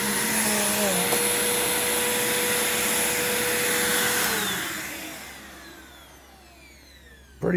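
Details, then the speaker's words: Bissell upright vacuum, belt replaced a few months earlier and unused since: steady motor whine with even brush hum for about four seconds, then smooth wind-down at switch-off; belt aged well, healthy running. "good so far this is the best belt that's aged out of all of these which is pretty impressive"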